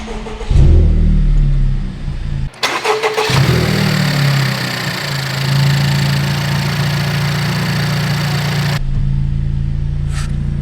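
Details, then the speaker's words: 2019 Honda Civic Type R rebuild: after reconnecting an unplugged vacuum hose from intake manifold to valve cover, engine cranks, catches and settles into a steady, even idle with no stumble; runs properly. "weird it runs properly when you plug in the hoses imagine that wow"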